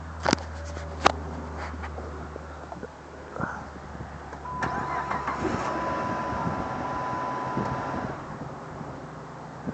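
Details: 2005 Magnum V6 after a no-start with no codes. The battery, fuses and relays checked good, and a broken starter solenoid ground wire was repaired and rerouted away from the exhaust manifold. After a few clicks it catches in about four seconds and idles steadily, a normal start.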